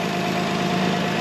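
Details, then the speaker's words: Old 2002 Toyota Highlander after an exhaust leak was sealed with muffler cement: a steady, even idle with a smooth exhaust note and no puffing, spitting or ticking at the pipe. The exhaust sounds sealed; a makeshift but working repair. "not bad but let's take it up top all right it's not puffing it's not spitting at me it's not tugging the camera up"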